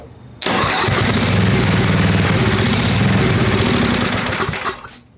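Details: Old Craftsman 10hp Tecumseh riding mower engine, water-damaged, freshly rebuilt with head torqued, carb reinstalled, run-in, long unrun: catches and runs roughly about four beats a second for four seconds, then sags and dies; carb not pulling fuel, cause unconfirmed.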